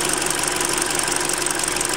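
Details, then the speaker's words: Hyundai Creta at about 40,000 km, idling during an oil change, old oil said to be 5W-30: light, high, regular tick about six times a second over a steady idle, valve-lash-like noise near the injectors; owner suspects the hydraulic lifters. "вот сок от форсунок вот здесь ну кто так партонов но здесь наверное гидрики уже"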